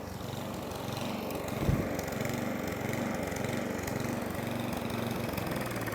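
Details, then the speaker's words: Atco Balmoral 20S cylinder mower that keeps cutting out, on choke: runs unevenly with a loose, surging beat and a pop, then falters; owner believes fuel starvation, plans carburettor clean. "And there it goes. So yeah, I believe it to be a fuel starvation issue."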